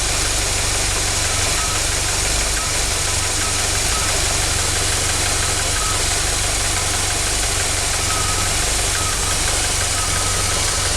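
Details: 1976 MerCruiser 3.0L petrol inboard idling with an uneven, loping beat, about four pulses a second, that never settles, despite a complete tune-up, rebuilt carb, and set dwell and timing.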